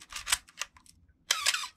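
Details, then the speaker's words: Canon A1 camera firing with a short raspy squeak in the shutter cycle, the Canon cough from gears needing oil. "uh welcome back to the channel my name is dave and today uh hopefully we're going to fix um a common problem on the canon a series cameras and others specifically on these um of canon cough"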